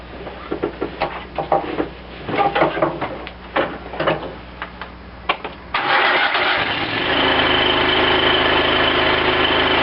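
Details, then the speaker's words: Cub Cadet lawn tractor after carburetor rebuild, fuel shutoff now opened and extra gas shot given so the fuel pump fills the float bowl: engine catches first try and settles into a steady, even run; normal start and idle. "I turned that on give it a another shot of gas just to let the engine run faster run the fuel pump faster fill the bowl and now fires right off"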